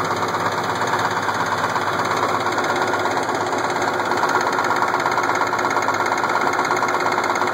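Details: Case IH 1680 with an 8.3L Cummins diesel idling with a steady, sharp knock about twice a second over the clatter; it started slow and worsened, and the cam gear was found cracked with missing teeth.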